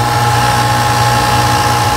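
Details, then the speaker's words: Copeland modulating variable-capacity digital scroll compressor (HVAC) running: loud steady low drone with fixed mid-pitch tone; sounds terrible but is normal and very reliable, seller reports no issues with many sold. "my first thought was, well, that's gonna last a week and be garbage because it sounds terrible. You don't think from a standpoint of longevity that that works well, but it's actually very it's very bulletproof."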